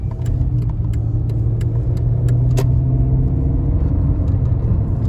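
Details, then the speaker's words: 94k-mile 2000 Ford Contour Sport automatic, driving after fluid range sensor replaced and Mercon fluid added: revs climb then drop cleanly into third and fourth, no flare or clunk; shifting issue solved, normal shifting. Motor mounts noted as very bad. "at that it shifted like it was supposed to third and fourth gear very nice so the shifting issue has been solved"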